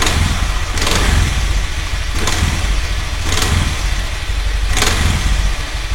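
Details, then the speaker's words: Old Honda Vario Techno carburetor scooter CVT: engine rumble with sharp crackling click about every 1.5 s on initial low-speed throttle, gone by about 40 km/h; caused by worn rear pulley, bearings replaced first. "Yang pertama adalah selalu ada suara kretek. Nah, jadi kalau digas awal gini, kretek."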